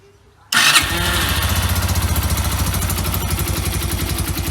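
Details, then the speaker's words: Yamaha YBR 125 after swapping in a used replacement engine for one with rattling, suspected worn crank bearing: starts straight away, steady even single-cylinder idle with no rattle or miss; normal idle. "Yeah. Sounds spot on, I think. Definitely better than the last one."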